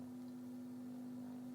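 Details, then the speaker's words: Telefunken Gavotte 55 tube radio under restoration: steady low 50 Hz mains hum through the speaker because the center tube's ground lug is not actually grounded, 170–200 mV RMS measured against chassis ground; fixed by connecting it to chassis. "yep you can definitely hear the hum so that ground is not ground and i'm actually wondering whether it's connected to ground at all"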